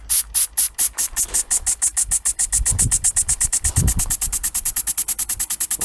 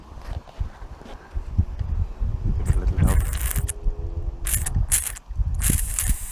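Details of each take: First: Inherited antique model steam engine, cleaned up and run for the first time in many years, once the fire had built steam pressure: crisp, even chuffs about seven a second, steady with no misses. Running freely at a good speed. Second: Inherited antique model steam engine, cleaned up and run for the first time in many years, starting cold with little steam pressure: uneven, hesitant chuffs and hisses, about three a second, never settling into a rhythm. Struggling on low pressure.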